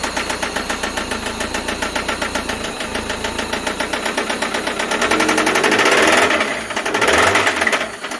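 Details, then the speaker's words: Toyota MR2 5S-FE engine at idle and revving: loud, sharp knocking that follows the rpm and keeps hammering when revved; rod knock from a failed connecting rod bearing, on the last start before the engine comes out. "if any of you have ever heard of rodnock or want to know what rodnock sounds like this is exactly what it sounds like uh follows the rpm it's loud it's i mean that rod is gone"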